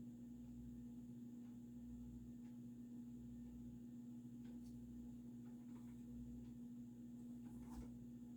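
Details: Supreme Mark II 52" spinner ceiling fan, early 1980s, variable speed control turned down; steady, fairly low electrical hum in a quiet room, louder as speed drops, possibly from a solid-state control; speed-control motor hum.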